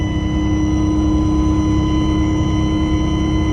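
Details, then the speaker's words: GM bus on an I-5 road trip while cruising: new, louder steady high-pitched whine over the engine drone; owner suspects alternator or power steering, not confirmed, to be checked by a mechanic. "so yeah i got a new high-pitched wine coming out of this thing i mean i remember hearing it before but not that loud it's pretty pronounced i unplug that speaker it's not that sounds like an alternator wine um it's got to be alternator or power steering"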